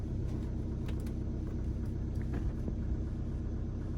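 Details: Tribute T720 motorhome, just after start-up: low, steady diesel rumble with even firing and no knock or rattle. The engine idles normally.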